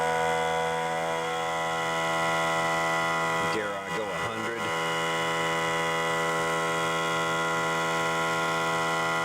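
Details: Central Pneumatic 95275 oil-less 3-gallon 100 PSI pancake compressor after fitting two new head seals: even, fast pumping hum with steady pitch, brief handling clatter midway; healthy, building pressure until it shuts itself off.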